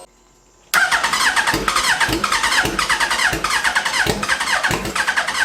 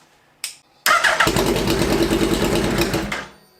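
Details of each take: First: Hayabusa-swapped Mini Citicar (32-bit ECU/flywheel conversion): fast starter whir with rhythmic surge, never catching; crank no-start because the seller supplied a bad fuel pump, fixed by refitting the original pump. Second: Hayabusa-swapped Citicar mini EV (Hayabusa engine, 11,500 rpm redline, about 155 hp) after an ECU swap to a 32-bit unit and the faulty new fuel pump was replaced with the original: starter turns briefly, engine catches and runs with a rough, busy beat, then shuts down; normal start.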